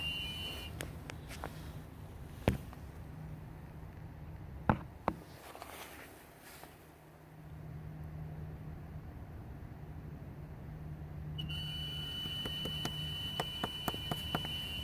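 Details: 2016 Ford Focus SE, dual-clutch transmission, 32,000 miles: thin, steady high whistle from the engine bay after the engine is shut off; dealer attributed it to the air conditioning and replaced A/C parts, cause suspected, not confirmed.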